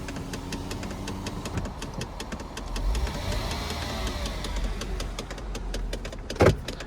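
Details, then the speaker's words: 2001 Mercedes-Benz C240 or C320 (owner unsure), 135,000 miles, blend door suspected faulty: smooth idle with a sharp, even click about four times a second, coming and going, apparently from the cabin; cause unconfirmed. "The ticking kind of comes and goes. That's annoying as crap."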